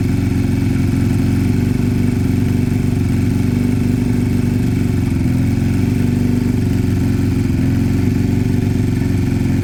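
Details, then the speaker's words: Piaggio Fly scooter after fixing two split pipes, no choke, idle being set while listening for hissing: steady idle drone whose pitch drifts gently up and down, slight hunting, staying high; owner suspects an air leak. "no still a little bit up and down there still still a tiny bit um got to be an Eary it's got to be but stays High"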